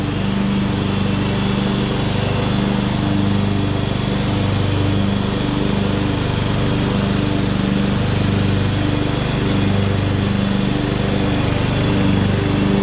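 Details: 2014 Ariens (Husqvarna) 42-inch-cut riding mower, revived from scrapyard parts machine, cutting grass under load: steady, even single-cylinder drone with smooth beat holding speed, pulling well; healthy, only needs a couple of small things.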